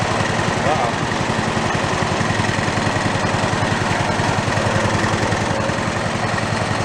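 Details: Toro riding mower engine, failed and torn down, rebuilt missing half its crankshaft, idling with no throttle and possibly choked: heavy lumpy thumping, about three to four pulses a second, with strong shake "like a Harley" from the out-of-balance crank.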